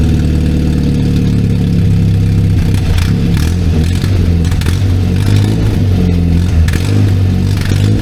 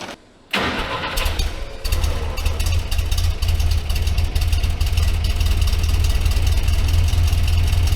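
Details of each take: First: 1964 Jeep CJ5 barn find, before muffler replacement: loud, raw, throbbing exhaust at idle with rev blips and hardly any muffling from the blown-out muffler. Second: Barn-find 1964 Jeep CJ5 after new muffler installed: cranks, catches and settles into a steady, even low rumble with no rasp or leak; sounds much better than before the muffler.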